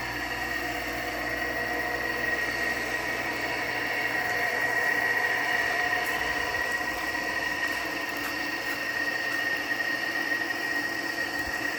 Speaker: you can really hear the shot bearings on the GE though